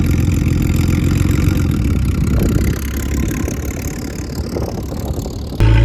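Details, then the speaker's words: Ford AU Falcon off-road build running after spark plugs replaced to cure a misfire; steady low even-firing engine note dipping slightly then revving near the end. Running smoothly, normal. "Yesterday I just changed out the plugs because I don't know if you guys could hear that on camera, but it had like a misfire. So I just changed out the spark plugs, and yeah, it's doing pretty good actually."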